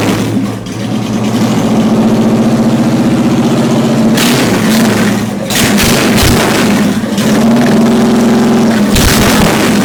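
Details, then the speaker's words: Honda Shadow V-twin motorcycle, first start after installing a Hypercharger intake: loping idle with a deep, even rumble, then clean blips that rise and fall smoothly. The engine is running healthy, and the owner thinks it sounds better than before. "So I think it actually sounds a lot better than what it did, so here we go."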